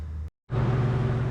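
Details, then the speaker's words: 1995 Polaris Storm 800 triple two-stroke snowmobile, 1,500 original miles, runs well at top end but won't idle down; after a brief cut a fast even buzz holds well above normal tickover; high idle before carb air screw adjustment. "And today we got to figure out why it's idling so high. Runs pretty good top end, but won't idle. So now we got to get her going and see why it's idling so high. You can hear that it's idling way too high."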